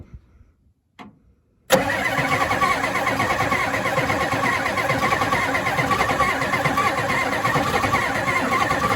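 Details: 1992 Ford F-250 4x4 7.3 diesel, 5-speed, supposedly rebuilt engine, sitting since 2004, two mismatched batteries, first start attempt: after a quiet spell starter cranks at an even churning beat about three a second, never catching; no ether used.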